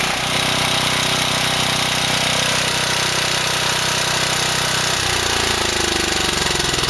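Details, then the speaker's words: Generator small engine with a Nikki carburetor after a makeshift carb cleaning: before, it ran only on full choke; now it runs fairly even, then coughs, pops and sputters with stumbles as the choke opens, still with issues. "it used to only run on full shook but now when you put it on choke it just coughs and sputters which is what they normally do at this time"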